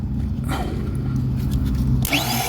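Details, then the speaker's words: 1954 International pickup, starter jumped with hot power to the main starter terminal: starter motor whirs up to a free-spinning whine without cranking because the bendix isn't sliding out; small activator wire suspected; starter drive not engaging. "see you can hear that but now we got the problem the bendex isn't sliding out right"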